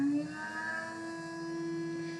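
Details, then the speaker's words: Small DC motor in a simple demo circuit (battery, switch, fuse, conductors) running after the switch is closed: smooth, constant whirring hum with no rattle or speed hunting, clearly spinning fast; normal running. "you can tell you can hear that this motor is running and you can tell the speed of them I mean you can tell that it's going faster"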